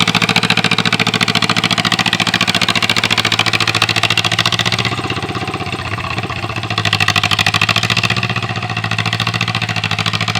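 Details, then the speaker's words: 1947 John Deere M two-cylinder tractor, run once a year, after starting trouble: steady putt-putt about three and a half beats a second, dipping and recovering slightly under cultivating load; normal running. "B's running good today"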